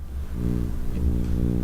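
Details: Steady low droning hum with buzzy overtones and no rhythm on a Shure SM7B through an ART Tube MP preamp with a Cloudlifter. Mains hum is picked up from the preamp's 9 V AC adapter transformer placed on the Cloudlifter and near the mic.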